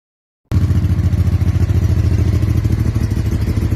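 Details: 1999 Honda Deauville 650 V-twin after carb overhaul (new membranes and pistons) and broken-wire repair restoring front-cylinder spark, carbs not yet balanced: fires up into a steady lumpy beat, about three pulses a second, both cylinders working; running fine.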